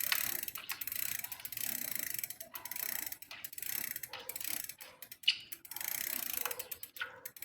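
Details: Smith First bicycle while pedalling: light, irregular ticking and scraping following each pedal stroke, first blamed on the bottom bracket bearing; actually a faulty crank arm letting the chain rub the derailleur, fixed with a new Shimano crank arm.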